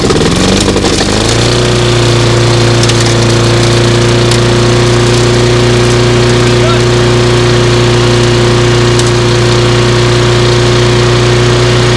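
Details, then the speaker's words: Small single-cylinder lawnmower after repair, pull-started, catches after a few pulls and settles into a steady even drone with no misses; sounds pretty good. "It sounds pretty good. So what we're gonna do is we're gonna finish put that cover on the top, and we'll run it along, trying to mulch it."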